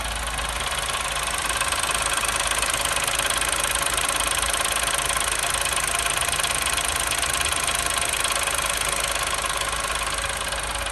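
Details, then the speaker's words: New Chevrolet Onix at cold first start: bright metallic tin-like rattle over the idle, ticking about three times a second, noticed only when cold; source unconfirmed. "pessoal tava falando aí globo barulho de lata batendo motor na hora que a gente fez olha aí ó e aí a beleza pessoal então aqui vai ser mais curto eu notei somente na parte da frio"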